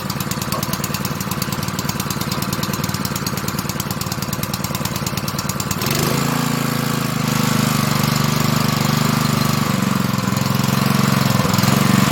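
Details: Honda GP160 likely two-inch water pump engine, stored unused probably over a year and wouldn't start, after carburetor work with the fuel line and spring refitted: lumpy thumping for a few seconds, then a smooth, even hum; running properly.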